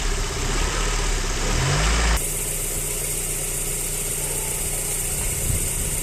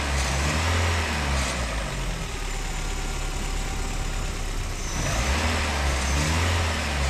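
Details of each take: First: Running engine with the idle air control valve unplugged, a two-coil stepper solenoid with 8.9 mm travel in 214 steps: uneven idle, and a quick throttle blip rises lazily then sags back, responding very slowly; sluggish throttle response from the disconnected idle air control valve. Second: Engine running with the knock sensor disconnected, on a car that ran well with no vibration or pinging beforehand: revs up and settles back smoothly with an even note and no knocking or rattling; normal running.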